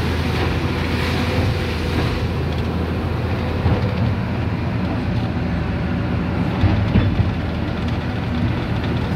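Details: Volvo EC480D excavator diesel operating after filter change, accelerator dial up: deep, steady drone holds full speed under working load with no sag back to idle; RPM-drop-to-idle problem solved by replacing the filter.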